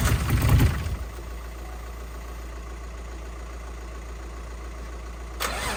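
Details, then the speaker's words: Nissan R33 Skyline, freshly built forged RB25 engine, first start on running-in oil: starter churns the engine at a steady rhythm, never catching or firing; no start because the spark plugs weren't firing, fixed by swapping in old plugs. "it was a spark plugs that's what that's why we're cranking it just turning over and it wasn't firing change the spark plugs for some old ones"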